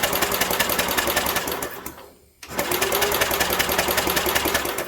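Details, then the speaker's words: 1967 Unico 7hp tractor, idle 27 years, starter-generator cranking after carb rebuild and oil in cylinder: even unlabored cranking about two and a half turns a second, short pause, same rhythm; "rolls over beautifully"; normal cranking. "Rolls over beautifully. I'll tell you, that is nice. Open it up to starter generator. You can literally crank that forever."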